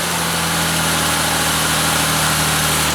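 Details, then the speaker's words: Ford Escape engine started briefly with serpentine belt removed to bypass a noisy AC compressor: smooth even idle with steady hum, no squeal, whine or knock; engine quiet and healthy, AC compressor still needs replacing. "I mean, it sounds just like any other engine starting, so that's good."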